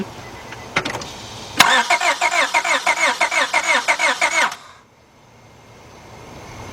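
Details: 2002 Honda Accord 2.3 cranks but won't start: starter cranks about three turns a second for nearly three seconds with no firing; noid light stays dark, so there is no injector pulse from the computer.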